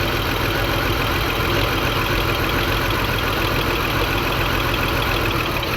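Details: 2002 BMW X5 3.0L AWD with multiple misfires despite a new battery and spark plugs, fuel pressure about 41 at idle versus a specified 50: just after start the idle is rough and uneven with no steady beat; owner suspects low fuel pressure.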